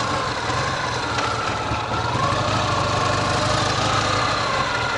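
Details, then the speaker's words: Ural sidecar motorcycle boxer engine, cold, riding under load; faint uneven tapping over the exhaust beat from the left cylinder, right cylinder fine, source unclear, rider wonders about connecting rod; cylinder knock under load. "а вот левого как будто немножко подскакивает пару-тройку именно под нагрузкой левый цилиндр стучит что стучит непонятно но это мне не показалось действительно стучит"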